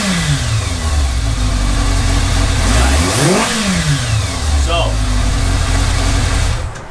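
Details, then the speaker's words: 1982 Kawasaki GPz550 after changing pilot jets from 34 to 37 to fix a fast idle that hung at 4000 rpm: clean blips rise and fall smoothly, dropping straight back to an even idle with no hunting, warmed up quickly. "so we went from a 34 to a 37 pilot jet and all of a sudden we don't have that searching issue comes right back down off my idle"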